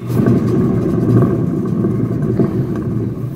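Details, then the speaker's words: Fiat Strada rear wheel hub bearing, badly worn, with the wheel off the ground and spun slowly by hand, mic held close: a rough, steady low rumble even with no vehicle weight on it. "Moçada, tá roncando aqui no ar, apenas com a força da mão e nessa baixíssima velocidade aí."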